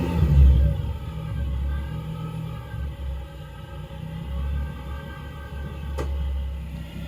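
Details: MK2 VW GTI VR6 swap, which dislikes the cold, after a few minutes running: a very low, lumpy idle that swells and sags with no throttle tension; owner thinks it sounds like a misfire, unconfirmed.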